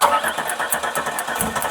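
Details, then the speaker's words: Vehicle sitting 20 years, fuel rail with clean gas, injectors tapped with punch and hammer during cranking: rhythmic starter cranking with metal taps and odd weak catch; crank no start from clogged fuel injectors. "I mean, we're pulsating the injectors. We know the fuel rail has clean gas with the PI in there. I'm also gonna go around with my punch and hammer."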